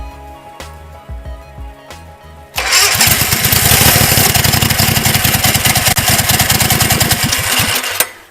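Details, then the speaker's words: 19 hp engine swapped into go-kart; after a few pulls fires and runs rough and hard about five seconds, then cuts out instead of idling; carb needs cleaning, dirt suspected blocking the jet. "It runs, it runs, It but will it doesn't run. idle right now."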